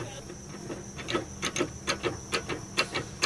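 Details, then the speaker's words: Lowered Toyota Vellfire, body rocked with a microphone at the front: hollow clunks, about two or three a second, from a leaking, loose, worn front stabilizer (absorber) link, attributed to lowering; fixed by replacing the link. "So kita detect kat sini ada free kita dapat detect memang ada bunyi kat bahagian depanlah. Bahagian depan di absorber link geng memang ada masalah dah."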